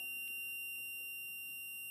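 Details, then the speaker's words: Yamaha YL1 two-stroke, setting points ignition timing with a buzzer while turning the engine in reverse back to zero. The steady high buzz should change tone right at the zero mark; it changes too early, so the points open early: timing too advanced. "I want that tone change right at the zero mark right there which means the points are opening too early or what is called advance"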